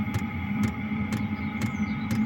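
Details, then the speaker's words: HCalory 5 kW diesel heater with integrated fuel pump/filter, pump inside a wall cabinet: crisp ticks about every half second over a steady fan hum; normal pump pulsing, though the rubber mount transmits ticks into the building. "this is the uh fire alarm inside the box here we see the pump and it's going you can hear it ticking away"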